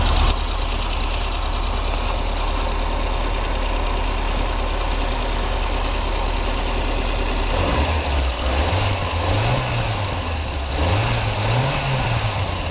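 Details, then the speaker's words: VAZ 2108/2109/21099 after timing belt idler roller replacement, engine at idle: even, steady hum with no whistle or squeal; timing belt running normally. "сейчас завел двигатель покажу вам как к ремень должен работать на заведённом как он должен подыгрывать"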